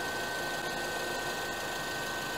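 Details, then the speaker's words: Engine idling with AC on to reach operating temperature during coolant replacement: radiator extra fan switches on by itself, steady even whoosh with faint constant hum, no rubbing or rattle; normal radiator fan operation. "Nah, nanti kalau sudah tercapai, extra fan atau pendingin radiator itu akan nyala dengan sendirinya. Nah, seperti ini ya, nyala nih."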